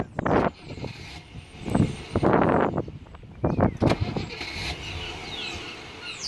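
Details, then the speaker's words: Rover P6, fuel pump disengaged so the starter only cranks; the owner suspects a loose, shoddy connection at the starter. Short hesitant bursts of cranking with pauses between, engine not firing: delayed starter engagement, cause not confirmed. "Anyway, sure, that's Sunday for you, isn't it? Delayed start there that time. Hear that? Delayed start."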